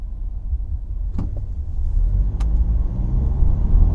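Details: 2012 Ford Fusion SEL driving: low droning hum under road noise, louder around 50–55 mph with possible slight vibration; source not pinned down; road-speed humming noise.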